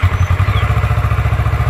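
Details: 2012 Kawasaki Ninja 650 after a no-start fix, with the dirty, corroded start-button contacts filed clean: a steady, even idle of about ten low pulses a second with no misses or clatter; normal idle.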